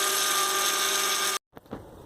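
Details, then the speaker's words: 2003 Acura MDX with a power steering fluid leak and air bubbles in the reservoir: the pump gives a steady, high, tonal whine from aerated fluid; the fix was replacing the worn reservoir O-ring 91345-RDA-A01. "So I need to figure out where the leak is from. And you can hear the pump is also noisy"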